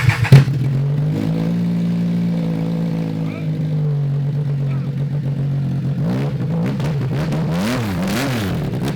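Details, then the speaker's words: Triumph 955cc triple in abandoned go-kart project, running after crank troubles; steady low idle drone and clean rev blips, though oil leaking and looking creamy, possibly water. Healthy running engine. "wow that thing sounded fantastic dude high five"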